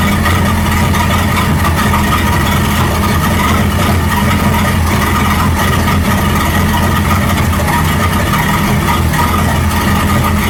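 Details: 1937 Buick Roadmaster with a loud, steady, unchanging idle well above normal tick-over; an unused starter solenoid holds the throttle open too far regardless of idle screw setting and gets disconnected.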